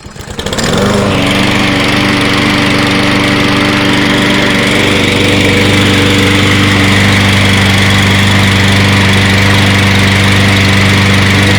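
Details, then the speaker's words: Free Toro 22-inch Recycler mower, reassembled, starting with excess oil poured in and burning off; the small single-cylinder holds a steady, even idle with no hunting or surging. "let that run get all that oil [Laughter] awesome [Laughter] [Laughter] i'm gonna let it run let it burn it off got a lot of oil look at this thing holding a steady idle"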